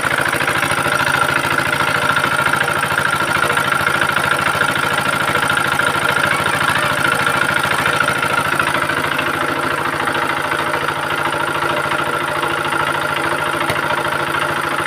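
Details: Very old Usha Z170F single-cylinder diesel idling after full restoration and repair: even, steady thump with a regular beat and no knocks or misses. Sounds healthy.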